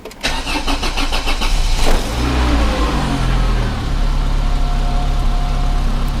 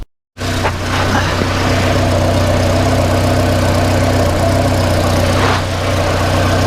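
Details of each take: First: 1994 Volvo 480 2.0 petrol, cold day, sat unused a while, after fitting replacement downpipe: brief crank, catches quickly and settles to steady idle; clean cold start, though an exhaust blow is then suspected at the rear coupling. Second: 1994 Volvo 480 2.0-litre after fitting a replacement downpipe for a manufacturer defect; loud idle with a coarse, uneven puffing chuff over the engine drone, heard at the rear exhaust coupling: exhaust leak.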